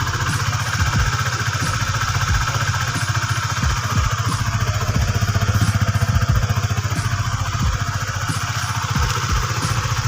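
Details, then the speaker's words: Honda Sonic 150 with worn camshaft rocker surface repaired using RXZ connecting rod part, several hundred km after repair: even quick idle thumping, no knocks or rattles, slightly harsh exhaust; healthy. "ini memang motor ini setelah diakali pakai stang seher RXZ bilamana diganti tutup noken AS nya tapi ini sudah menempuh jarak tempuh ratusan km ini saya rasa masih bagus ya"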